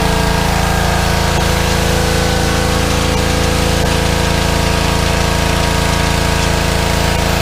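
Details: Small petrol engine on a fairly new pressure washer, after carburetor cleaning for suspected fuel starvation from dried ethanol gas (clogged bowl screw jet) following over a year sitting, even drone with constant pump hum, no misses or surging; normal running under load.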